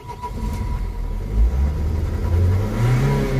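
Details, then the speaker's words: 2003 Nissan 1.9 diesel (same as Renault/Opel) in for crank-no-start with a flashing engine light: the drone rises slowly and unevenly on throttle, struggling to rev; hesitation from a sticking EGR valve. "just it's struggling to rev up it just struggles to rev up right it sounds okay from here"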